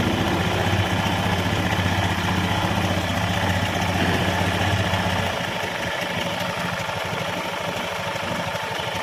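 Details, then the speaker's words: Honda Scoopy (K44) scooter, before repair, weak power and rough CVT sound, at idle: rough crackly rattle over an uneven idle, easing slightly later, from vibration of a hardening drive belt, hardened CVT drive belt. "the sound of the engine is like that, crackle, crackle, this crackle sound comes from the vibration, Bro, the vibration is starting to harden,"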